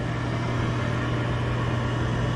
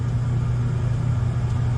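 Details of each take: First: Gas furnace at first start-up on the new control board, after the safety switch is pushed: the draft inducer motor spins up with a steady low hum and even drone, no rattles or scraping, as the igniter comes on; normal inducer operation. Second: Gas furnace on the new control board, old blower motor: it had to be hand-spun to start, then gives a steady low hum with no rising spin-up, turning too slowly. The start capacitor or a worn-out motor was suspected.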